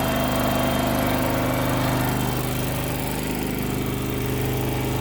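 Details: Kohler engine on a Terramite T5 mini loader, after fuel pump replacement for not staying running: steady even idle, regular low thrum about three beats a second; running properly.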